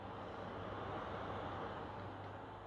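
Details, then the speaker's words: PS5 Pro (CFI 70) in game with a Foxconn PS5 Slim fan fitted in place of the stock one; steady, even rushing hum of the wrong fan spinning too fast and too loud for the Pro's duty cycles. "so you can put in slim fans but they are going to spin too fast and they're going to be too loud"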